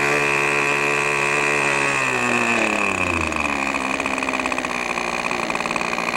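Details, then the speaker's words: New O.S. 40 FP glow engine on a PT-40 RC airplane during ground break-in, needle leaned slightly: high buzz drops in pitch as throttle comes back, settling into a steady, even low idle suitable for taxiing. "can probably see now we're down to a nice enough idle where we'll be able to taxi the engine on the ground"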